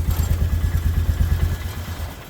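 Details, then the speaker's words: 1998 Polaris Sportsman 500 4x4: steady low thumping idle dies within two seconds when a wire is touched back on, grounding the ignition; the only way to stop it. "see as soon as i put it on then it turns right off"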